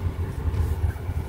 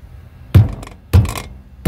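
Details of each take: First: Noise heard on dirt roads traced to a loose brake pad (balata) with play; after fixing, low steady road rumble with no bangs or clunks from the wheel, brakes quiet and healthy. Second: Drum brake with a loose brake shoe that has play; the noise is heard loud on dirt roads: three dull, heavy thunks as the loose piece is rocked inside the drum.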